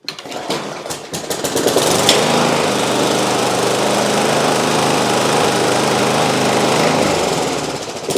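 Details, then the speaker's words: Rough, neglected Masport Briggs & Stratton 4-stroke mower with a busted front axle, primed three times at half throttle: quick pull-start catches first pull into a steady even single-cylinder drone, no misses or knocks; running healthy. "well folks we have got a running Briggs and Straton engine you saw it there folks that actually started first pull and I've never started this"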